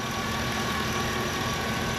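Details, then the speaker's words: 2005 GMC Yukon, stock 5.3 LM7 V8 at about 239,000 miles, hood open: steady, even idle with a smooth low rumble and no knocks, ticks or misses; all stock, runs great, healthy engine. "I mean, everything in here is stock. Everything. Runs great, runs like a champ, and that's really why I bought it."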